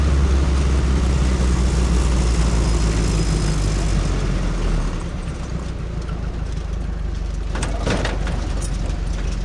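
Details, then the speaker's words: 1932 Ford roadster, Model B four-cylinder with dual Stromberg 81 carbs, Winfield head, Mallory distributor, driving: loose uneven rattles and clatter over a deep rumble from a temporarily mounted, unbraced, cracked old body. "You can hear the rattles. That's just an old body that's not put together very well."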